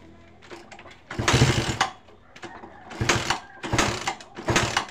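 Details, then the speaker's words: Suzuki Satria FU 150 that stuttered on throttle, after tightening a loose connector: several quick blips rise and fall cleanly with no stutter or hesitation; normal revving, stutter fixed. "Oke untuk rebetnya hilang ya untuk penyakitnya sudah sembuh ya sudah normal tidak brebet lagi ya untuk brebet sudah sembuh ya teman-teman tidak bermasalah lagi untuk brebet-brebetnya"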